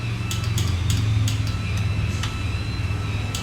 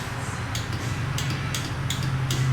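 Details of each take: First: KTM 125XC two-stroke with electric start failing, starter motor removed and bench-tested grounded against the motor: steady, even electric whir with no grinding or dragging; starter spins freely, normal starter motor operation. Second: KTM 125XC two-stroke, warm, starter button pressed at race start: sharp single solenoid clicks about every half second with no cranking.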